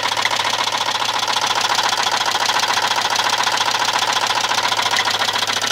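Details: Volvo 850 Platinum turbo engine at idle with a hard, regular knock about three to four per second over a steady hum; a worn connecting rod bearing, not the cams, needing new bearings.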